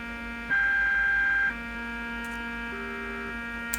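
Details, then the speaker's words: Fluke 6060B RF signal generator, output monitored on a radio with modulation off: steady low buzz with even overtones under the audio; possible power supply problem suspected, not confirmed. "So, there's a big buzzing sound coming through the audio which is interesting."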